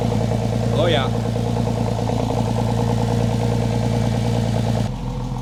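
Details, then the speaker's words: Freshly rebuilt Porsche 911 engine, now 3.8 L, running for the first time after install: steady idle with a light, loosely regular tick from brand-new hydraulic lifters still being worked in; power steering fluid was very low. "we've got some brand new lifters that are needing to be worked in that's for sure you can hear them ticking a little bit"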